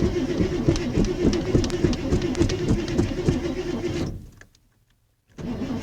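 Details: Ford F150 that has sat for about four weeks: steady starter cranking for about four seconds without catching, then another attempt; cranks but won't start, hard starting, cause unconfirmed.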